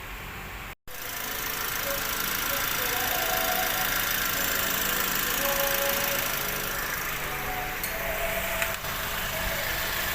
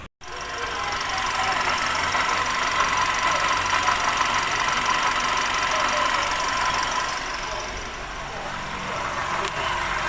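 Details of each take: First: Perodua Bezza idling after water pump replacement: even steady idle, earlier noise gone, no squeal, rattle or grinding from engine front; sounds healthy. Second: Perodua Bezza at idle, before repair: faint high constant whirring whine over steady idle, traced to worn water pump bearing; water pump replaced.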